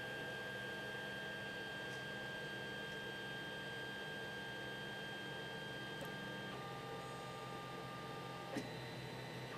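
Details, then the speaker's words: 3D printer after fitting NEMA17 stepper motor dampers to X and Y axes: soft low hum, steady stepper tones, no harsh buzzing or whine; noticeably quieter; normal quiet running. "there you have it quite a drop in sound just by adding a gapper to the X and the y"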